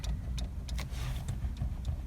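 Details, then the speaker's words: VAZ (Lada) while driving: sharp irregular clicks, about five in two seconds, over a low engine hum as the steering wheel moves up-down and side to side; owner suspects the steering column horn contacts clicking. "Вот, но у меня это не очень нравится, когда едешь, вот такой вот звук. Я думаю, на видео было слышно, как бы такой, как щелчок."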